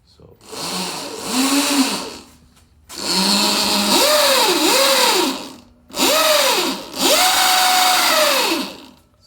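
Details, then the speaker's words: Sur Ron electric dirt bike with front belt replaced by a primary chain, rear X-ring chain: loud whirring whine rising and falling with throttle blips; chain drive whine audible a block away versus about 50 feet before, extra vibration. "You could hear the chain coming from maybe, 50 feet away. But with this one on there, you could hear it a block away pretty easily."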